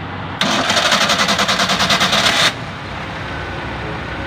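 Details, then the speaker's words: Toyota Corolla, very noisy at start: harsh metallic grinding with rapid rhythmic pulses while cranking, abnormal, like grinding hard corn. Starter grinding during cranking. "Oh okay hindi normal ang tunog abnormal bakit ganon akala mo may ginigiling na"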